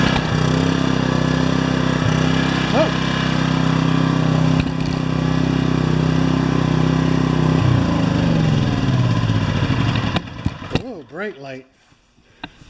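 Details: Yamaha 1000 W generator after carburetor jets reamed out to cure surging at idle, new gaskets: smooth, even hum holding one pitch, no rise and fall; normal steady idle.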